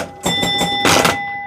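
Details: Gottlieb Ice Show add-a-ball pinball after repairing the bent 9 carryover switch cam on the score reel: clear bell tones with a rapid train of mechanical clacks as the reel steps over; chimes and score advance working normally.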